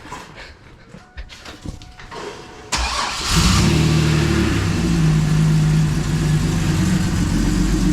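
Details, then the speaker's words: Turbocharged 3800 L67 Camaro after fixing exhaust leak causing ticking, fresh oil, not yet warm: quick crank, steady even idle, no ticking, slight valvetrain noise; normal start and idle. "Hey, no more exhaust leaks. Yep, no more ticking."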